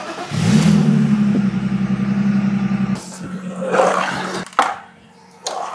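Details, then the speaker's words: 1998 BMW E36 323 inline-six running after fresh oil change (about 6.5 L); smooth even hum with no ticks or knocks before cutting out; runs great, yet large metal shavings were found in the old oil filter. "nothing's wrong with this car it runs great it sounds good it still has a decent amount of power"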